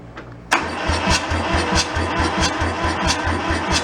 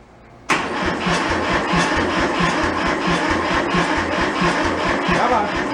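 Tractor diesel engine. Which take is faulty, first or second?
first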